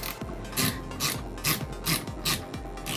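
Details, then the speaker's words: Netgear GS508T network switch with cheap replacement cooling fans just installed: rough rasping scrape pulsing over a faint whir; noisy fan, cause unconfirmed. "that wasn't good okay welcome welcome welcome to the joys of cheap fans"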